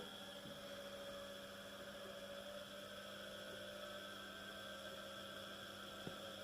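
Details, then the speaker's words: First small 230 V single-phase induction motor, unloaded, on a homemade variac at about 110–150 V (starts turning at 55 V): steady even hum with faint whine, a little louder than at lower voltage, running smoothly. "so the motor is a little bit louder but not like anything in regards to those fans that I was testing in the previous video"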